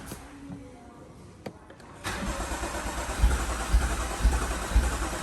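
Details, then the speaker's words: BMW M135i after full engine rebuild following seizure, first start attempt: after a quiet start, steady rhythmic cranking thumps about twice a second without firing; fuel still not through to the engine. "we're gonna give it a start now and see what the car's saying let's go we've got to keep cranking it"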